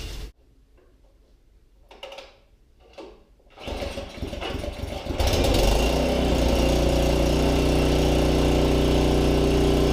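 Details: Snow blower engine newly installed on a tiller: after quiet handling it cranks, catches and settles into a steady, even single-cylinder beat with no knocks or misses; healthy running.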